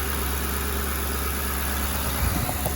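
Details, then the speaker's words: Used car at a dealer lot with white residue under the oil cap and no coolant, dealer passes on it: steady low, even idle hum with no knocks, ticks or misses throughout, engine sounds good. "gonna pass. No coolant, plus it's been here a couple runs. Sounds good though."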